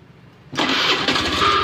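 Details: Honda Beat FI scooter after shorted regulator/rectifier (kiprok) and failed ECU caused ignition loss, with fuse installed; brief starter whir, catches at once, settles to steady even idle; clean healthy start.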